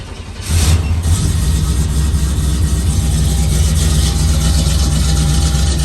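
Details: Square-body Chevy truck with FiTech EFI, after a crank-no-start fix and 2–3 days sitting, started with no throttle: catches within half a second and settles into an even, steady idle; clean cold start.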